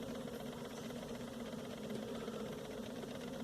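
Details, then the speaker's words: Quartz clock: quiet continuous fine buzz with no separate ticks, normal for a silent-sweep step motor stepping faster than once per second. "now the clock without continuous buzzing sound which is typical for the so-called silent sweep clocks the buzzing sound means that the step motor works with a high frequency than one time one step per second"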